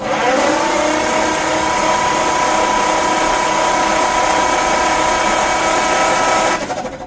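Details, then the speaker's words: 1951 Ford F1 flathead V8 that sat over 20 years, cranked with plugs out after oil was pumped into each cylinder: fast, even whir with steady starter whine, no compression beats; turns over well, freeing up. "Pranks over pretty good with the plugs out."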